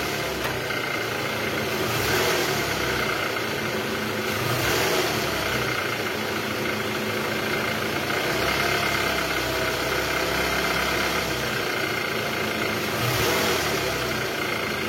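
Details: 2012 Toyota Alphard ANH20, 2AZ engine, about 74,000 km, after replacing a broken balancer shaft, idling in R gear: steady, even idle with no knocking or uneven beat, only a soft rise in engine noise now and then; normal idle.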